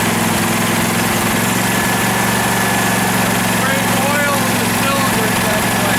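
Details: 2012 Husqvarna riding mower that survived a flood, run before any carburetor cleaning: an even, steady low drone from the twin with no misses or stumbles, a normal healthy idle.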